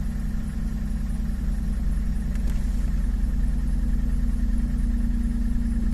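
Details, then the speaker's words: 2009 Pontiac Torrent with stumble on cold start, coolant sensor reading about 8 °C high despite a new thermistor: at cold idle, coolant rising to 17–18 °C, no misfires, a dull uneven knock; suspected piston slap. "there is a noise in this engine if you listen carefully [Music] bit of a piston slap it sounds like"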